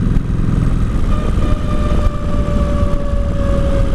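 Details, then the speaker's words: 2003 Kawasaki Vulcan 1600 on first test ride: big twin rumbles with a steady whine, and on closing the throttle it drags hard with an odd noise that slows the bike; rider doesn't know the cause. "it's basically slowing me down. I don't know what that is."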